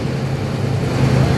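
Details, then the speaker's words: Engine at first start after a full cam and lifter job and new oil pump at 208,935, with a Diablo tune: a deep, steady idle with even exhaust pulse and no shake, tick or knock. Normal idle. "No shake. Holy shit."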